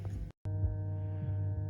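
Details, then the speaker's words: Lanzar 100 car amplifier, about 1990, 50x2 W, on the bench with protect LED faintly lit; constant low hum through the speaker, later found to be a bad WAGO connector on the speaker leads, amp works. "all right well one of the things that I've noticing here is this can you hear that has a bit of a hum coming out of this thing I don't think this this amps long for this world"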